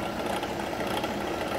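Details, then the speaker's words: ACME handsaw vise and filer, motor-driven; fast busy rattly clatter over motor hum, steady; pulley missing its set screw and belt running misaligned. "now for the bad news that noise that noise is because well you can't see down in there but it's missing a set screw and it looks like that's forum only where the set screw was"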